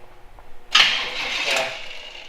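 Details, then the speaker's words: Jeep YJ rebuild, cranked after finding a fuel pump wiring fault: brief starter whirr of about 1.5 seconds that never catches. Crank, no start; still no fuel delivery and no injector pulse. "okay we got no fuel still got no injector pulse though"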